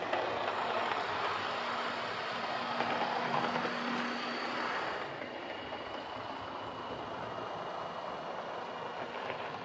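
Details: Old Lima Class 31 model locomotive in freight livery after overhaul with an extra pickup added on the front bogie, running on the layout: even, steady whir with faint constant hum, no surging or stutter; normal running.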